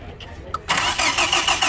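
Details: Hyundai Accent brought in for lack of power: starter spins engine steadily but it never fires; crankshaft sensor gives signal and injector pulse reported, but no spark; crank no start, cause not yet confirmed.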